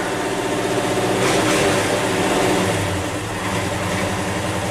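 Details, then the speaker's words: 1963 Chevy 1-ton flatbed with no choke, cold start after sitting overnight in the 40s °F, throttle feathered: uneven loping idle, beat wandering and revs sagging; rough cold idle, not running happily yet. "That's pretty damn good for sitting overnight. You can hear she's not happy."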